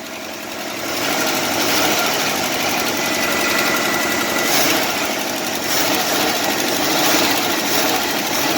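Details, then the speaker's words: 1968 Jeep Wagoneer with a swapped-in 1972 AMC 360 V8, revived after sitting a year, at idle just after a stumbling start: fast light ticking that follows engine speed; noisy valve train. "you can hear it it's making some noise in the valve"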